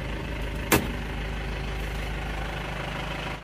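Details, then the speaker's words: Isuzu Panther pickup diesel after engine repair, warm at about 82 °C following an 8 km drive: steady, even, smooth low idle with no misses or knocks and no thick smoke; normal idle after repair. "ini suaranya seperti ini. tetap halus rata. Oke, sudah sembuh ya. Sudah sembuh enggak keluar asap tebal ya."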